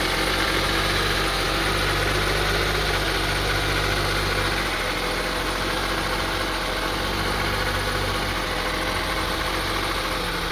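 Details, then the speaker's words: 2002 Honda CR-V 2.4L rough idle: uneven, shaky low drone with rpm rising and falling. A cracked air hose (air leak) was found, but fixing it did not cure it; throttle body, spark plugs or excess engine oil causing misfire suspected. "as you see the on idling very rough idling so we tried to figure out what's cause this it could be the throttle body or the spark blogs or maybe too much engine oil"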